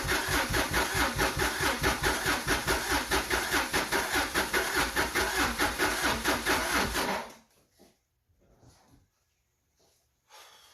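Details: Subaru SVX on a marine starter battery, after snugging the second cam sensor: strong, even cranking at about two to three compression beats a second for seven seconds, never firing; crank no start, later traced to a faulty ECU.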